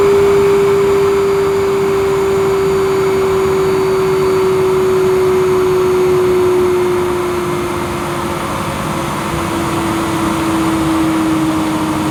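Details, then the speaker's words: Vacuum cleaner set to full power (1400 watts), suction gauge attached: a steady high whine that sags slightly in pitch under load. It reads nearly 100 inches of water lift, similar to the Tristar DXL on maximum; the motor sounds healthy. "So we'll turn it up to 1400 watts now, and we'll switch on and see where this gauge goes to."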